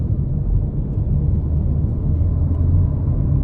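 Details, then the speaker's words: Ferrari cabin after repair of dashboard rattle at various speeds on rough roads: air ducts wrapped in 5 mm sound-absorbing material and bolts tightened, panel damped; steady low road and engine rumble with no clicks, squeaks or rattles. "Также притянули и зафиксировали все болты. Теперь воздуховоды не дребежат."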